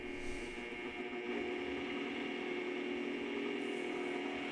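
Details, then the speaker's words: Bridgeport mill 6F power feed after fitting a new 51-tooth gear and topping off with ISO 150 gear oil: even, steady whir with no grinding or clunks, smooth mechanical hum; normal running, gear drive healthy. "Now that looks and sounds a lot better. It sounds very smooth and moves very smooth."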